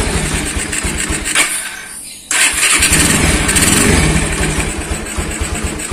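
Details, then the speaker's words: Honda Tiger single-cylinder motorcycle started after carburetor repair: dirt-clogged float bowl caused fuel dripping and petrol smell when parked; cleaned and fixed. Brief crank, then a steady, even putter with no misses; starts and idles normally. "udah sembuh nggak netes kembali Coba nah oke langsung kita tes dulu kita Nyalakan sepeda motornya"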